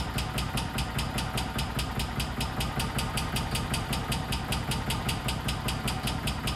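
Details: 1999 or 2000 Kawasaki Mule 550 barn find, first start after sitting years, idling on half choke; sharp rapid even tapping over rough idle, suspected upper-end knock, went away when throttle applied.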